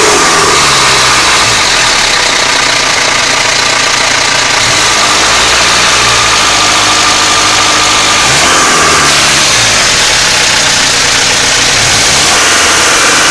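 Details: Mitsubishi Pajero Exceed 2.8 TDI diesel at idle: harsh metallic rattle that swells with each throttle blip; owner suspects the timing chain, cause unconfirmed.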